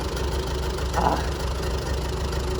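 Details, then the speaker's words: Grandpa's old tractor, sat 20 years, magneto ignition, won't start on the hand crank but starts on the electric starter: deep steady idle rumble, even beat, no misses or knocks; normal idle. "it won't start with the hand crank it did admit but it starts up dang diggity nice with the old electric starter there you have it grandpa's tractor's been sitting 20 years older starts and runs fellas and ladies"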